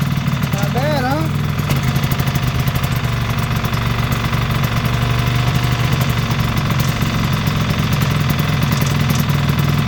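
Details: 1973 Ski-Doo 399 twin two-stroke snowmobile after clearing a fuel-passage obstruction, idling after warm-up with choke: steady, even putter holding a constant idle with no misses or dips; engine running healthy.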